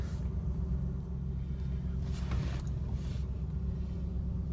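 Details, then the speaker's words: 1989 Cadillac DeVille 4.5L at warm idle after ECM replacement. Idle is stable and has just dropped once warmed up; before, it sat high and bounced around. Low, even rumble with no hunting or surging: a normal warm idle. "I hope you could hear that the idol is very stable and it sounds like it's an appropriate level in effect it just kicked down because the cars warmed up"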